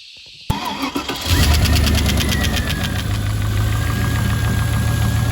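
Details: Rebuilt V8, cold start about 3,500 km after the rebuild; owner suspects a dead hydraulic lifter and has a persistent slight misfire. Brief crank, catches quickly, then settles into a steady, even idle with only light top-end ticking. Acceptable cold start.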